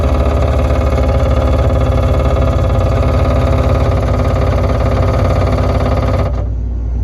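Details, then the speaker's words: Electrofreeze soft serve machine tune-up, left side mix pump: steady motor hum with even pulsing about two beats a second, runs at 6 psi and shuts off when satisfied at 43; air bleeds back with no duckbill fitted; normal pump operation. "Okay, pump satisfied. I want you to note that the air is bleeding back because we don't have our duckbill. And we read 43. So the left side's pump system is proper."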